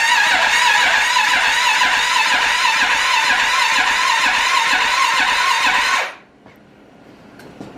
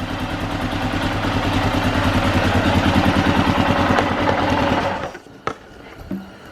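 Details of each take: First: Arctic Cat 650 H1 ATV, rebuilt after a wreck, first start attempt; the display showed an "E" code. Even starter cranking at about two turns a second for six seconds to build oil pressure, with no firing; fuel is present and the owner suspects a bad ignition module: crank, no start. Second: Rebuilt Arctic Cat 650 H1 ATV at first run after engine reinstall, carb not yet adjusted; steady, even single-cylinder beat of about three firings a second before a clean shutoff, running healthy with good oil pressure, though a clutch-cover oil leak was noted.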